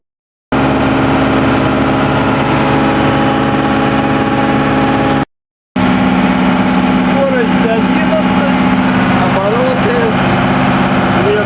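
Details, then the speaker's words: New, not yet run-in TDME-490 58 hp diesel with 3:1 hydraulic reducer, motorboat sea trial on a cold morning, cutting waves at 2000 rpm: steady, even drone with water and hull noise, no knocks or misses; healthy. "Вот так мы режем волну на 2000."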